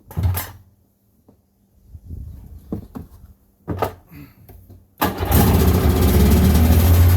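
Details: 1996 Sea-Doo GTI rebuilt two-stroke engine on first fire-up, out of water, with a new carbon seal. After adjustment it settles to a steady, fast, even idle of about 2900–3100 rpm, correct for out of water (about 1500 rpm in water).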